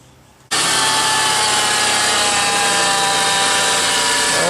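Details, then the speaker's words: 1998 Honda Passport / Isuzu Rodeo engine started up, settling into fast idle with a steady high whine over the running noise, worsening gradually; owner narrowed it to the idler pulley, which felt rough inside: idler pulley bearing whine. "what it's doing is making a little whining noise right now it's shut off"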